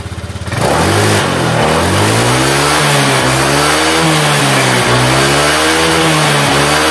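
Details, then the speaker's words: Honda Vario 125 scooter burning and losing oil after engine ran dry: coarse rattly clatter in CVT when throttle is released, revs rising and falling; mechanic suspects worn roller housing. "Oke bagian cptnya ada suara kepericik ya pada waktu Los gas nah ini suaranya kedengaranik kayaknya suara rumah roller"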